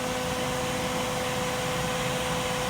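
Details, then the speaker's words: Engine cooling fan under PWM speed control from an MS3Pro/Megasquirt ECU. A steady mid-pitched electrical hum rides over the fan whoosh because the PWM frequency is too slow for the motor. "let's go ahead and move that up to 25 percent duty cycle and you can hear the sounds range is actually driving the pan now but you can hear that hum to have voltage"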